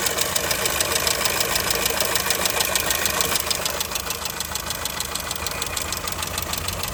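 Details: 2002 Skoda Fabia engine at even idle with a steady, regular knock at roughly three per second over the engine note. The owner asks what could be knocking; cause unknown.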